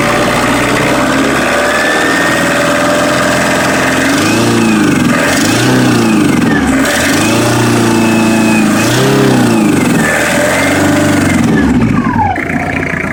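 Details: Citroën XM 2.5 TD (DK5) diesel: idles roughly, then quick throttle blips rise and fall with an uneven knocking clatter over it; abnormal engine noise, cause unclear.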